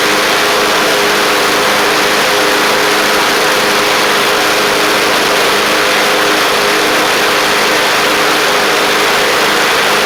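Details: Craftsman LT1000 Briggs Intek single-cylinder engine after the carburetor was jetted out: a steady, even high-speed drone with no misses, surging or knocks. It runs sharp and, as far as can be told, is not wearing the belt.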